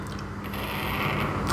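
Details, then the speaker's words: Vape with a flooded coil: rapid irregular crackling and popping as the coil fires and the excess liquid boils, spitting hot liquid into the mouth. "it'll sound a little bit like that and you'll be getting a little bit of liquid in your mouth it might be quite hot from time to time all around unpleasant experience"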